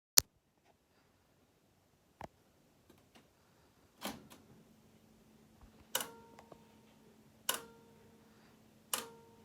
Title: Cassette deck weird noise